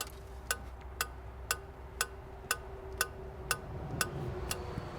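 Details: 2002 Renault Master 2.2 dCi, EGR valve run through a cleaning cycle: crisp, even ticks about twice a second over a faint hum; the freed EGR valve is working again, but replacement is still likely.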